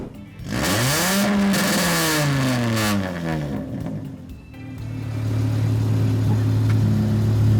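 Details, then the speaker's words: Volvo 850 project car after engine bay wiring, now with a muffler added; when it was straight piped it was outrageous, deep booming exhaust rising and falling sharply with each rev, far too loud, not passing. "when it was straight piped it was outrageous enough"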